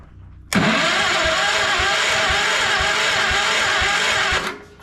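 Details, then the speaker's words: Old project tractor sitting a long time with a sticking choke cable, cranked with the throttle up a little on starting fluid: steady cranking chug for about four seconds that never settles into a run, catching only briefly; no start. "I think we ought to choke it a little bit oh I heard a fire hey hey I believe she'll run"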